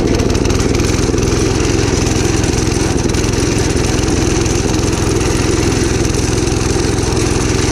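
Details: Gravely Commercial 12 34" Snow Cannon snowblower, cold start after about a month unused, full choke applied by hand: loud, fast chuffing at about three and a half pulses a second with an uneven beat; rough running, possibly from fuel starvation.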